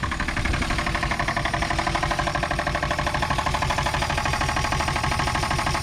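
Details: 1962 Chevrolet Biscayne, 235 Blue Flame inline-six with 3-speed column manual, running for the first time after sitting in a farm field since 1969. A loud, sharp, regular knock about three per second rides over a rough idle, and the owner says it's knocking really bad.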